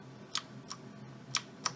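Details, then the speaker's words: Cooler Master Quickfire XT keyboard with Cherry MX Blue switches, cleaned the day before: four crisp, bright, even clicks with no rattle; normal switch, unlike the dissatisfying control key. "you can hear that lovely crisp Cherry MX Blue sound. And Windows key, still fine."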